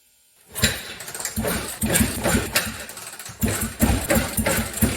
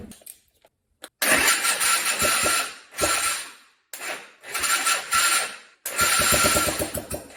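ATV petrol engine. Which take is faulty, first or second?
first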